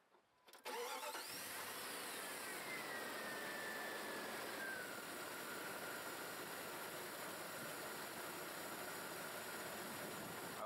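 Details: Vehicle started during battery, alternator and starter testing with a battery load tester: the starter catches quickly, then a steady, even idle with no knocks or squeals. Normal start and idle.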